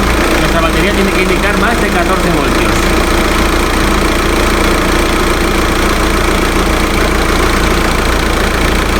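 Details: Audi A3 2.0 TDI diesel idling just after an alternator replacement, with the battery warning light expected to clear and charging reading 14.1–14.2 V; steady, even diesel clatter with no misses, knocks or squeals, a normal idle.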